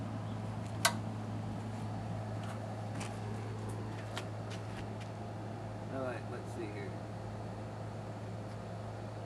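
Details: Brand-new Honda-clone engine on pressure washer, oil and water added, low-oil sensor wire still disconnected, hot day around 90: low steady drone at one even speed, no surging or sputter; running normally.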